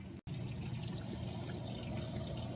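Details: Viking Pro VDB450ESS dishwasher just started after cycle selection and door closing: steady rushing water with a low even hum after a brief silence; normal fill at the start of its cycle.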